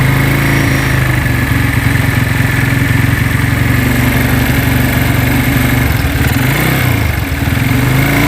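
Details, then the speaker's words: Tiger motorcycle, cold start after engine rebuild, smoking at start-up: fast busy clatter with rough light ticking from the cylinder head; likened to a scored or slapping piston, unconfirmed. "bisa kita dengarkan bahwa tadi di bagian kop sini itu terjadi bunyi kasar kemlitik dan ada bunyi terklik seperti itu"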